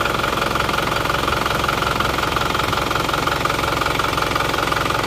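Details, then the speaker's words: Isuzu Panther pickup diesel after injection timing advanced slightly: steady, even, crisp clatter at idle, about three pulses a second, no misses; sounds harsher but stronger, exhaust now smoke-free; normal idle. "sekarang hidupnya menjadi lebih garang suaranya tapi lebih agak kasar sedikit tapi lebih garang dan knapotnya sudah bersih enggak mengeluarkan asap"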